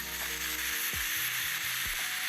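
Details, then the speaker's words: Tokyo Marui-type gas blowback airsoft magazine being filled with gas to diagnose leaks: steady airy high hiss with faint low clicks during fill, normal for Tokyo Marui (WE Tech may be silent); a fill valve leak at the base shows afterward. "so the hting is normal for toky marui but sometimes with we Tech you won't hear anything at all"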